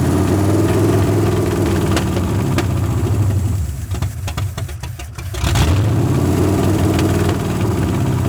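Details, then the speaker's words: 1981 Ford Mustang 5.0 V8 after the carb mixture screws were reset (one side had been out about 14 turns versus the usual 1.5 to 1.75). A lumpy idle that dips and nearly dies; the owner suspects a vacuum leak or a bad carb. Rough idle. "still fighting me acting like it's got a vacuum leak still what's there"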